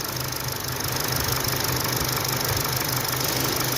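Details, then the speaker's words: Kia Stinger GT, 26,000 miles, check engine light on with P0304 cylinder 4 misfire code; rough, uneven idle with irregular low thumping from a misfire deliberately created on cylinder 1 to check the scan tool's live misfire count. "that's a Miss let's see if my scandle here will pick it up"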